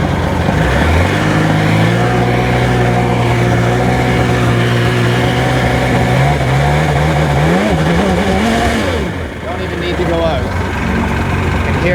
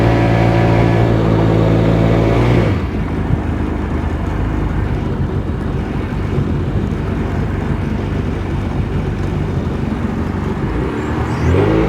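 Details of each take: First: 2002 Sea-Doo GTX DI two-stroke, maintenance light above about 3000 rpm despite new stator, crank sensor, plugs: revs with uneven stumbling beat, pulses dropping out; misfire, cause unknown, owner suspects bottom-end bearing failure. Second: Personal watercraft (GTX Di) after repairs to throttle position, bearings and fuel injector, run over 5200 rpm: steady, even engine drone at speed with wind and water rush. Normal running, problem solved.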